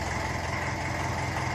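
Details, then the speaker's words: 1954 Ferguson 20 TEF diesel tractor, cold, not yet warmed up: steady, even idle with low regular beat, no hunting; governor holding acceptably, improved but not fully fixed. "And you know yourselves, these engines, they do like to take a good half an hour or so to warm up. So you do expect them to govern a bit until then. But I'm happy enough with that."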